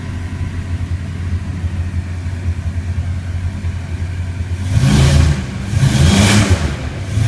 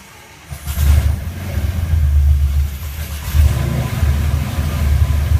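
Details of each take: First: Rotec R3600 radial engine on test-stand dyno after mixture leaning and magneto checks; idles with steady low throb, then picks up smoothly through a few throttle blips, running clean and healthy. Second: Rotec R3600 engine on new test-stand dyno, mixture rich, throttle closed, primed then cranked and ignition switched on; catches with deep uneven firing, stumbling and surging before settling; needed more priming.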